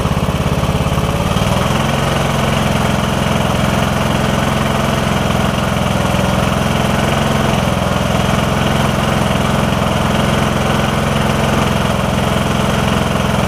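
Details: Briggs & Stratton OHV single riding mower that was hard to turn over, after replacing the camshaft with faulty compression release, started with starting fluid: steady, even low thrum, no knocks or misses; normal idle.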